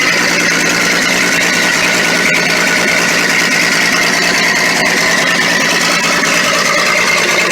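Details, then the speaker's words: Ex-military Ford tug first start after sitting 11 years, run on mixed gas: loud, raspy, hissing idle with sharp uneven puffing over a thin engine note; exhaust leak at the joint, no exhaust donut fitted. "Oh, we might have an exhaust leak. I'd say there's no exhaust. Obviously no donut."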